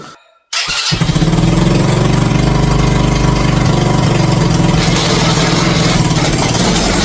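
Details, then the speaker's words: Mini bike on its first start after wiring the motor, ridden briefly across the shop: it catches after a brief silence and runs loud and lumpy at about three uneven pulses a second. It is running rough, and the chain is now too loose. "so I moved I did move that was not sounding very well okay"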